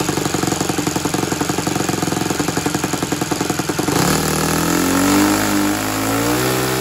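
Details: Saito 100 four-stroke nitro R/C engine on a thrust test stand, tuned up, run at full throttle on a non-recommended 50/56 prop: crisp, even firing at steady high revs, then a smooth pitch shift, no misses or sputter; normal full-throttle run, about 7 lb thrust.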